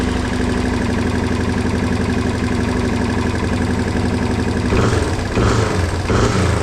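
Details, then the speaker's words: 1987 Yamaha TW200 single cylinder after no-start repair with new petcock: catches into a steady thump, sharp blips rev and drop back cleanly, no float valve fuel leak; idle may need mixture adjustment; healthy start and rev. "Okay, not bad. Um, we're not leaking fuel or anything from the float valve leaking. Everything sounds good."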